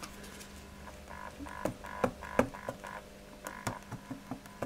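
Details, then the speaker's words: Orange Crush Bass 50 bass amp: plucked bass notes each carry a rattly buzz that fades as they decay. It is a loose cabinet part resonating, not an electrical fault; tightening the screw did not cure it, and a rubber shim is planned. Mechanical resonance buzz. "it's not a fault this by the way it's just literally a mechanical resonance"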